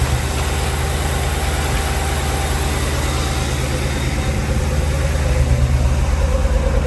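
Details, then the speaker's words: C20 truck with Crown Victoria frame swap, V8 with coil packs, first start cold before thermostat opens: lumpy idle that stumbles and recovers as it drops between seven and eight cylinders; owner blames coil packs; intermittent misfire. "Between seven and eight cylinders. Hate these oil packs. Here it drops to seven and then goes back to eight."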